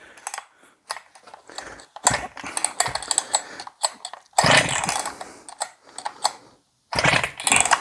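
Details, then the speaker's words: Husqvarna chainsaw (owner said the recoil didn't work; a Chinese starter pulley now catches where the OEM one did not), compression check: sharp rasping recoil pulls with a firm, even chuff each stroke; good compression. "all right now let's check compression oh yeah she got compression on boys"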